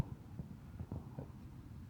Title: Massey FERGUSON 35 . Engine knocking. 🚜